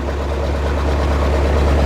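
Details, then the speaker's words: Old backhoe sat at least 5 years, first start on starting fluid: steady even low rumble, no knocks or stumbles, holding a smooth idle; normal idle. "Some signs of life. Nice! When I first sprayed that fluid in, got that first little crank to go over, then sprayed a little bit more, man, it fired right up."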